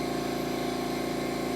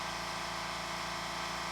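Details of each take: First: California Air Tools "ultra quiet" compressor about 10-12 feet away, running without its intake silencer fitted: loud steady train-like roar with a quick even pump throb. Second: California Air Tools ultra-quiet air compressor running through a fill cycle: steady, even motor hum with soft airy hiss and no clatter; compressor running smoothly and quietly, normal run.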